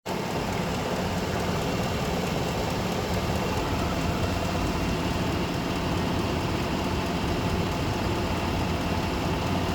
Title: can anybody tell me what this ticking noise is didn't start until after I had a oil change